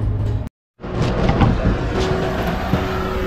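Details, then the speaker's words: 2010 Ford Crown Victoria with overheating, burnt radiator fan control unit replaced with used working one: steady whir settling to even hum, no grinding or ticking; radiator fan now running properly. "so umaandar na siya ayan oh makikita yung plastic nililipad ibig sabihin niyan kung gumagana na yung ror pan"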